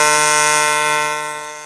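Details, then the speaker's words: YesWelder CT2050 AC TIG welding aluminum at 150 Hz AC frequency: loud, steady, high-pitched electric buzz through the weld, fading at the end; normal AC TIG arc. "We still running that 150 hertz. You can hear that really high-pitched buzzing."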